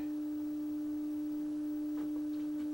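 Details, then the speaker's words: 1960 Sylvania Dualette black-and-white TV: a constant mid-pitched hum with faint clicks as the deflection yoke buzzes like a lawnmower; blamed on bad capacitors, and the set needs a full recap. "oh that's cool the yoke sounds like a lawnmower so why yeah this is just bad capacitors"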